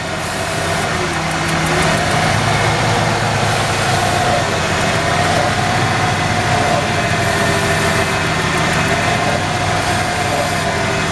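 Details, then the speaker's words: 1994 Ford F-150, 265K-mile motor with loping idle and a suspected lean condition; spraying starting fluid at the throttle body-to-plenum joint shifts RPM, confirming a vacuum leak there. Uneven idle with hissy background. "hear that difference in the RPM okay we know for a fact now there's a week between the throttle body right here and the plenum"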